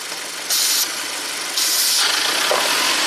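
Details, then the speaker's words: 2017 Audi Q7 turbo with intermittent P0106 MAP code, before replacing the PCV breather: with the oil fill cap off, loud hiss of air rushing in while idle climbs to about 1700 rpm; excessive crankcase vacuum, breather suspected. "Look at the RPM, 1700 RPMs. It's sucking my glove in a lot."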